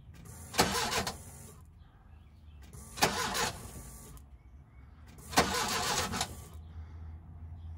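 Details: 1987 VW Vanagon after a fuel system overhaul with new MansiSpeed injectors, aluminum fuel rails and new fuel lines, key cycled to prime and check for leaks: three roughly one-second bursts of steady starter cranking, engine never catches. Cranks but won't fire; cause suspected, not confirmed.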